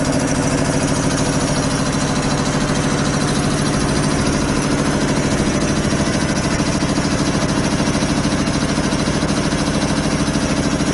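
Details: 25 hp single-phase air compressor, loaded with a valve open bleeding the 120-gallon tank from 150 toward 100 psi: steady, even pumping about three strokes a second, no knocks or rattles; normal loaded running.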